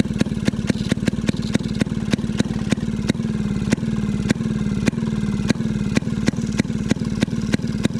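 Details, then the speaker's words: Maytag 92 hit-and-miss engine after off-camera adjustment, later found to have been getting too much fuel: sharp firing pops at uneven intervals over a low chug, with no squeal. Yesterday's squeak has quieted a lot. Normal running. "see if it want more fuel or something seems happier the the squeakiness of yesterday has quieted down a ton too [Music]"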